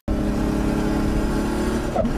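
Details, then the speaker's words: Turbocharged engine at wide open throttle with a steady fluttering chatter over the drone: compressor surge. The turbo is pushing more air than the engine can ingest, a turbo-engine mismatch that a blow-off valve cannot fix; it needs turbo modification or component changes. "when turbo photo occurs during wide open throttle it means that your turbocharger is trying to stuff more air into the engine than the engine can ingest"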